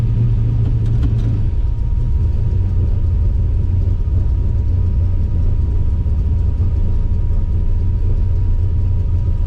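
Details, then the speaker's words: Chevy S10 V8 with Sniper EFI and cheap headers, just started: loud lumpy idle with a puffing tick from a leaking header collector gasket, third time it's failed, not a miss; leak fades with higher rpm. "see it goes away with rpm though which i guess it's okay there it is again it's not a miss i promise you it's a collector gasket there and there"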